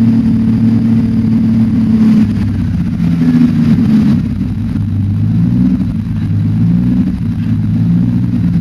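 Engine running with an uneven, lumpy beat instead of a smooth drone, the pulses stumbling irregularly; sounds like a misfire.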